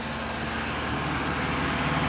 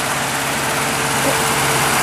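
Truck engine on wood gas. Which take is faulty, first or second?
first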